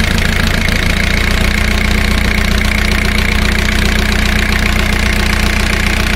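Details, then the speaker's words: Four-cylinder diesel at fast idle, power balance test: the cylinder 1 high-pressure fuel line is disconnected, a steady knock of about 150 a minute, and rpm dips about as much as the others, so cylinder 1 is healthy. "let's listen to the changing rpm as i disconnect high pressure line coming to cylinder number one notice the drop in rpm let's put it back see there is a difference"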